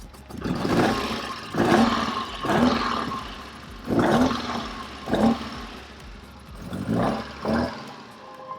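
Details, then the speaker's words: 1964 Alfa Romeo Giulia Sprint GT, 1600 engine: repeated throttle blips with ragged hissy sucking on each rev; aggressive air leak at number one cylinder between inlet manifold and head. "yeah that's a pretty aggressive um that's a pretty aggressive air leak on the inlet manifold uh it's on the number one cylinder"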